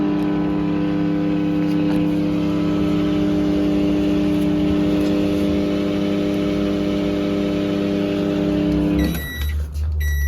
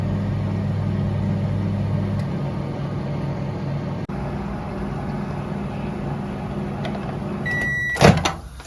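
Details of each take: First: LG microwave with 700W magnetron 2M213-09B: turntable spins and display lit, hums loudly and steadily through the cycle then beeps, but no heating and burnt-plastic smell; failed magnetron blamed. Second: LG microwave running at 560 W for 2 minutes after its 2M213-09B 700 W magnetron was replaced. It gives a steady low hum and fan whir, which is the normal operating sound, and ends with a beep and a door clunk. The magnetron swap fixed the earlier no-heat problem and burnt-plastic smell.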